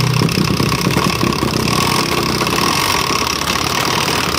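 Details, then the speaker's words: Honda Beat FI scooter with a snapped, long-overdue CVT drive belt: engine revs freely with a very coarse, rough rumble from the CVT area, but no drive reaches the rear wheel even with throttle. "Tadi sudah di banyak motornya, suaranya sangat kasar, teman-teman. Di bagian balting, bagian CVT, suaranya sangat kasar ya."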